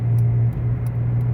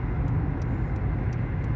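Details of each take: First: Dodge Avenger, possibly 2012: deep steady droning roar like a small plane under road noise while driving, changes when steering moves slightly; seems driver side front; worn front hub bearing, later replaced with brakes. Wheel bearing roar. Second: Dodge Avenger (possibly 2012) on a road test after front hub bearing and brake replacement: steady low road noise under braking with no growl or rumble. Bearing now quiet.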